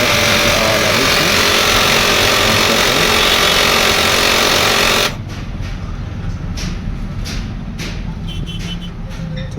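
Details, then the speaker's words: HP LaserJet M1005 MFP printer at power-on: harsh steady grinding roar that stops abruptly, then light clicks before it reports ready. "इस प्रकार से इसमें आवाज आ रही है और रेडी हो गया"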